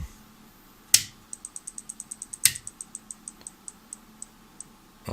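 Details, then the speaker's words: Helper Prestige 160A inverter welder at switch-on, flashing yellow; two sharp snaps then light ticks slowing from about four to two a second, relay chatter with the fan suspected not running; rectifier diode D05 (HER207) in the fan circuit found shorted. "Слышны щелчки. И при этом щелчки, вероятнее всего, идут от реле. Предполагаю, вентилятор не крутят."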